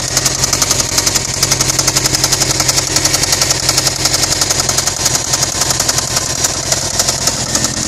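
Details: 2008 Subaru STI boxer engine at idle: hard, even knock roughly 220 a minute pounding through; rod bearing knock, after which the engine was rebuilt.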